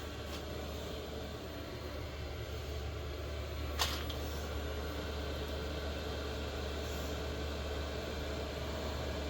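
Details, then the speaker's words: New Vevor 5K 12-volt diesel heater, not yet mounted, inside a trailer: a steady low hum under a smooth, airy roar with the fuel pump clicking. No surging or misfire pops, so it is running normally. "got the fuel pump out here it's clicking away but uh curious if you can hear the clicking in"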